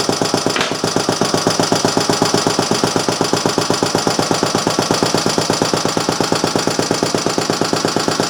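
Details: Restored Briggs & Stratton Model A engine, with an inline fuel filter added (no sediment bowl, tank had gooey deposits), on the bench: crisp, evenly spaced firing pops at a steady pace, with no misses or knocks; running properly.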